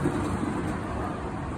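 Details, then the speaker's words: 2004 Toyota Tacoma, rear raised on stands, wheel spinning: low droning hum that swells and fades slightly, like a kite buzzing on the highway; worn rear wheel bearing. "se pueden apreciar que como que sube y baja poco eso hace cuando un papalote en la carretera y zumba y es estresante es un balero"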